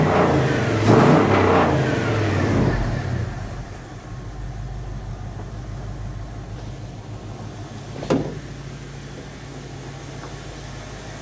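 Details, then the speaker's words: 1980 Dodge W200 with 5.9L Magnum V8 and Holley 600 cfm carb, restarted after timing set to about 12–13° and vacuum advance fitted: crisp throttle blips dropping cleanly to steady idle, no stumble; timing sounds right, idle slightly high. "dang she's she's spicy she's definitely spicy holy cow dang bro"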